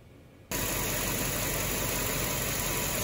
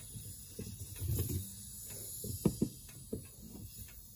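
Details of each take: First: 2006 Land Rover LR3 V8 petrol after replacing the front air struts: a sudden switch-on, then steady, even hiss and hum without surging as the suspension raises; the air compressor is pumping up normally. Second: Air strut leak on a 2006 Land Rover LR3 whose front dropped overnight: quiet, irregular bubbling gurgle in soft bursts at the passenger-side front air strut, likely an original strut, leaking air.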